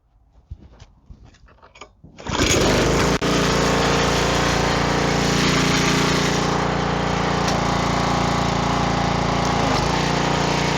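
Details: Gas pressure washer after the low-pressure fix (soap siphon slider pushed back, possible tip clog cleared); a few pull-start tugs, then the small engine catches and settles into a steady, even run with no hunting, running normally.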